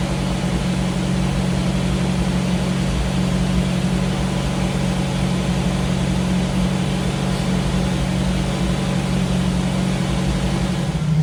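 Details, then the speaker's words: 1985 Jeep CJ7 with newly installed Holley Sniper EFI, just after first startup: steady even low idle with smooth rumble, no misses, knocks or ticks; engine idling cleanly. "you can hear it's running really smooth I've been messing around with it for a while"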